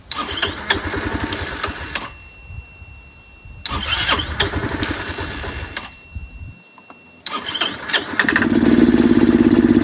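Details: Curb-found Chinese 150cc Moto Cooper Revo/CF Moto scooter, ignition hot-wired, primed by hand: catches and runs ragged about two seconds, dies, catches briefly again; won't run unassisted, owner suspects fuel delivery problem.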